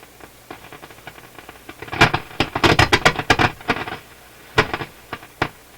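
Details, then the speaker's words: Nordmende console tube radio after FM tube replacement, full power: loud irregular crackles and pops in uneven bursts over quiet hiss; fault not yet traced. "Sounds like something more than just a loose two pins."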